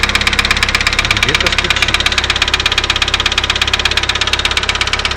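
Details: Daewoo Lanos engine at idle: sharp, even, rapid ticking keeping time with the engine, a strange top-end knock; owner says it is hydraulic lifter noise.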